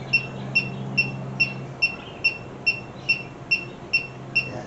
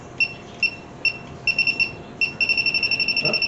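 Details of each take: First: 1967 Mercury Cougar cobbled AC system, rechecking after snugging loose hose clamps: leak detector gives slow even ticking about 2.5 per second with no speed-up; earlier reading was residual refrigerant, no leak detected, system sealed. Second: 1967 Mercury Cougar with a cobbled-together AC system; spaced high beeps speed into a rapid steady chatter at the bottom hose of the condenser core; refrigerant leak found.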